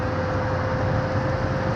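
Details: Car above about 80–85 km/h on expressway: steady high-pitched whistle over heavy road and wind roar, louder as speed rises; many parts replaced without fix; suspected damage around the trunk, not confirmed.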